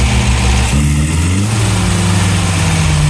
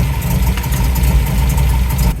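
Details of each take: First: 1971 MGB GT after cleaning the carbs: uneven idle with a wandering, hunting beat, still rough. Better than before; idle tweaked and plugs to be checked. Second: 1971 MGB GT, reportedly 18,000 miles, after ignition timing reset and carburettor fettling: even, low burble at idle with no misfire or hunting; drives, picks up and stops well, idling really nice.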